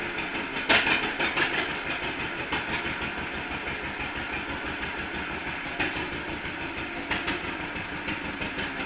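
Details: 1942 John Deere Unstyled A conversion whose engine was stuck, first start after fitting new spark plug wires: loose, rhythmic popping at about two beats a second with light clatter on top; the twin runs steadily and sounds healthy.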